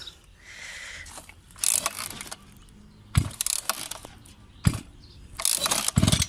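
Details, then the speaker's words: Newly bought two-stroke brush cutter (scythe engine), cold, low on fuel. Several sharp pull-cord rips with brief sputters that die at once: hard starting. Owner suspects the low fuel; cause not confirmed. "Evet şimdi çalıştırdık gouken biraz geç çalışıyor"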